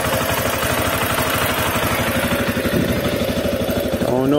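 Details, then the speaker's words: CSC RX3 single-cylinder idling evenly after the first valve adjustment and reassembly, steady thump with faint light ticking; slight valve tap the CSC website calls normal, everything works again, healthy normal idle. "reading the csc website you know they said tappy valves or happy valves so i'm not concerned with that sounds great everything works again"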